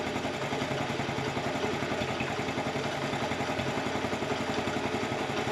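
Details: 1984 Honda TRX70 quad single-cylinder, revived after years stored, on chainsaw gas: steady, slightly uneven idle with busy clatter, no surging; owner says it smells a little rich while adjusting air mixture.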